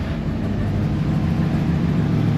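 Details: Chevy Suburban 454 V8 after dropping tank and fixing no-fuel-pressure issue that made it die when revved: steady deep roar under throttle, no stumbling or cutting out; normal revving.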